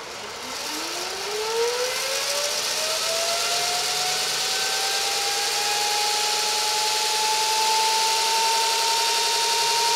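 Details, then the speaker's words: Custom motor controller on electric bike (ME-1003 motor, ~80V LiFePO4), buggy current-setpoint code bypassed with a fixed value, throttle turned up: smooth whine climbs quickly in pitch then holds steady; motor running cleanly at full speed. "we go sounds like she's running full speed sounds pretty good"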